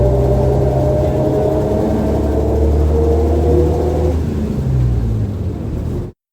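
Steady low whine with a few clear tones over road rumble, holding even with speed; a healthy rear axle differential sound.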